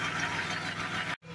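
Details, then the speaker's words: Audi engine idling steadily after the broken flywheel was replaced; smooth and quiet with no knock or tapping left, confirming the knock came from the flywheel, not the engine. "Міне қазір от алып тұр. Ешқандай артық дауыс жоқ."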